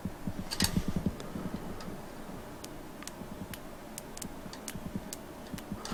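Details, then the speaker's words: 1932 Morris Minor four-cylinder sidevalve, distributor contact points cleaned of corrosion: crisp irregular snapping ticks over cranking noise; healthy ignition spark now. "a nice healthy spark there now"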